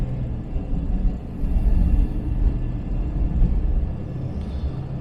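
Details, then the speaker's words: 1977 Jaguar XJ12 V12, after fixing a low-speed hesitation/miss, pulling away gently from a junction at about 10 km/h on light throttle: deep, even rumble swells smoothly, no stumble or bog; idle dead smooth, hesitation seemingly fixed. "coming up here to that little junction and slow down once again the idle is dead smooth i can't even feel the engine running and pull away"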